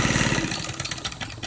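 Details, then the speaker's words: Antique sewing machine freed from seizure with WD-40, original motor, cracked worn-out belt: busy whirring hum with quick fluttering rhythm easing off at the end; motor runs freely and healthy, belt needs replacing. "I can't believe the motor still runs just as good. You can even hear the motor. Let me take the belt off. You can hear the motor. It ain't too bad, but the belt is definitely gone."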